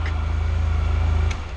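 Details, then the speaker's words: 600 cc scooter with 38,000 miles, started with brake pulled in: deep, even low thrum with regular firing pulse, steady until easing off at the end; healthy running, likened to a big block. "thirty-eight thousand miles on this beast goddamn it's like a big block"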